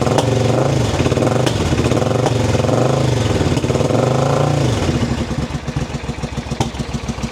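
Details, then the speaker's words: Suzuki V-twin motorcycle, first start with fuel from a bottle, choked: uneven lumpy beat with dropouts, then stumbles and dies; running on one cylinder, owner suspects no fuel as fuel pump isn't heard running. "And that's going, but that's one cylinder. We'll choke it. And it kind of sounds like a Suzuki Savage, not an intruder."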